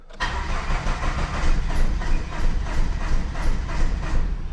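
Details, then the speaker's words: 1995 Plymouth Neon, low mileage, sat long in a garage, fuel pump priming: long uneven crank near three beats a second with the odd stronger cough that never builds into a run; owner says it's firing on one cylinder. "She's like firing on one cylinder. Let's see. She wants to start."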